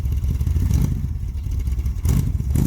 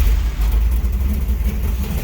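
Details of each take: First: Vintage street machine V8: a deep, lumpy rumble that sags between throttle blips and barely holds idle; the idle speed needs raising a touch, and the ignition timing is still to be checked. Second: "Jezebel" V8 with a new Mallory dual point distributor replacing a BEI unit: it fires right up and settles straight into a deep, steady, even idle with no stumble; normal start.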